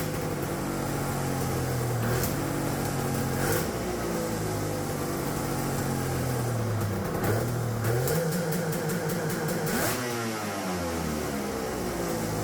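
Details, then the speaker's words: Custom-EFI turbo two-stroke triple with Spartan 2.0 ECU, no water in the cooling system yet, started after fixing a loose ground wire: crisp revving holds at a ceiling with sharp crackling cut-outs, then drops and rises again; two-step launch limiter cutting cleanly. "all right we don't got any water in it let's not blow it up right away that sounded freaking sweet"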